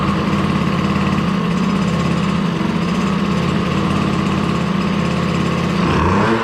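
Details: DRR 90 small single-cylinder engine just after water pump rebuild (damaged shaft caused seal coolant leak), coolant topped off: steady, even idle with no misses or rattles; runs clean.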